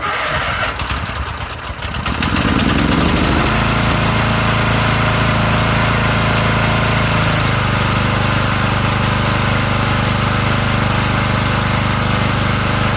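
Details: Murray 17.5 hp riding mower with 42-inch deck and new deck belt (Stens 265-031), small gas leak at tank: quick crank, catches and settles to smooth even beat; PTO clutch slightly sticky, otherwise healthy.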